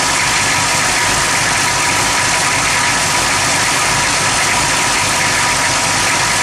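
Steady idle with a hissy, uneven churn and no clean rhythm, the engine sounding unsettled at rest; rough idle, cause unknown.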